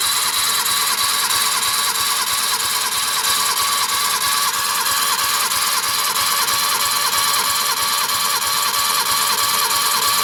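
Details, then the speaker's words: Suzuki DF51V turbo kei minivan, cylinder 1 compression test after valve adjustment (earlier 75 psi): steady cranking about three beats a second with even pulse each stroke; reached almost 100 psi, compression healthy. "Stop. We're already up to like almost 100. Awesome."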